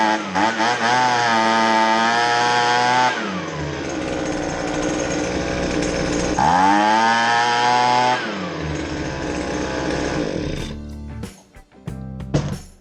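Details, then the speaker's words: Husqvarna 125BV handheld blower two-stroke test run after fuel line replacement with factory kit: surging and sagging, revs hunting up and down instead of holding steady; poorly running, carburetor out of adjustment. "You'll hear that it doesn't run just right, and I'll eventually have to make a carburetor adjustment."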